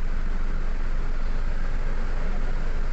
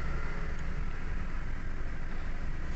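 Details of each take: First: Toyota Wigo after fixing cylinder 2 misfire (injector circuit fault code that kept returning with check engine light), codes erased and rescanned with none detected; engine runs smooth and even with aircon on, no stumble or skip, check engine light not showing. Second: Toyota Wigo with check engine light and cylinder 2 injector circuit code, spark plug already replaced and coil working, injector intermittently failing: low idle rumble with uneven stumbling beat and dropped pulses; cylinder 2 misfire.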